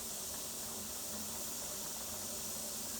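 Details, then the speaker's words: Pressure canner heating chicken stock, gauge still at zero before the cap goes on: steady, even high-pitched hiss of steam escaping the vent ("choo-choo"); normal venting before pressurizing. "See the steam? Okay, that's your famous choo-choo going there."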